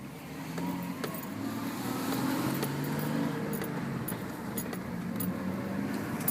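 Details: Lexus IS300 with a low, wavering squeak pulsing with wheel rotation when turning right only, after new suspension parts; the brake pad clip, 2–3 mm from the rotor, touched it. Bending the clips away fixed it.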